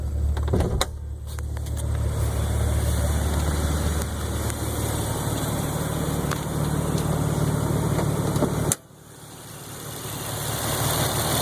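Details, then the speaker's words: 2015 Z V6 idling smoothly, heard from the front, 281 miles after twin turbo replacement, rod bearings, valve stem seals and refurbished hydraulic lifters; only very faint lifter tick, exhaust louder than engine; normal idle. "that's a good sounding Z hardly any hardly any lifter tick hear the exhaust even from the front more than you do the actual engine"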